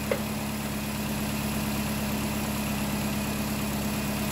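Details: 2010 Nissan Cube with a replacement CVT at idle: a smooth, even idle with a steady low hum and no whine or knocks; the transmission engages reverse and drive confidently.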